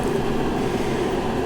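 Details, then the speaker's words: Masterforce 20 V 60,000 BTU portable forced-air propane heater at full output in a garage: loud steady roar with faint constant hum, no pulsing or rattles; burner and fan running evenly on high, normal. "now we're full blown heat that thing is putting out a lot of heat it embarrasses my little electric heater that i used to have it's a little loud at full blow"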